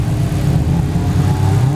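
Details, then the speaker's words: Turbo Honda S2000 AP1 (Precision 58/58 turbo, Haltech) after overheating while drifting, cooled and oil added: low steady drone, valvetrain ticking earlier suspected from valve adjustment now gone, sounds fine, normal running. "sounds fine now it was a lot worse than any kind of ticular here here"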